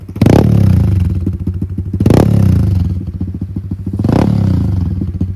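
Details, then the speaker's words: Pit bike with the exhaust baffle pulled out and the airbox baffle also removed: three sharp blips about two seconds apart, loud, raspy and popping as the revs fall, like a roaring lion. "Now if we just take the baffle out, throw it on the ground, and now she sounds like a roaring lion."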